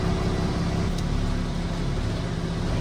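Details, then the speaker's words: BMW with a freshly rebuilt engine (block out twice, full rebuild). It runs with a steady, heavy, rough low drone and vibrates more than normal, without a distinct knock. Piston slap is suspected and it smells; the cause is unconfirmed. Excessive engine noise and vibration. "blokken twee keer opnieuw opgebouwd en ik kom hier en de auto die viereert meer dan dat ik gewend ben in ieder geval normaal is"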